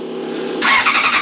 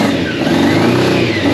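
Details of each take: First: Old Honda CBR600 carbureted track bike, first start attempt: fuel pump whirring hum, then quick even cranking pulses about ten a second, seems to want to go but won't run; carbs to be cleaned; stale fuel suspected. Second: Free old Honda CBR600 steel-frame track bike, long unused, first start on choke after tank refit, fuel pump priming: engine picks up cleanly and falls back with throttle blips, a bit boggy, not yet at temperature. Normal running and revving.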